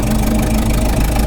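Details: 1927 Ford Model T running: steady low, lumpy idle with a raspy puffing edge on each firing, noisier than most Model Ts because of a slight exhaust leak.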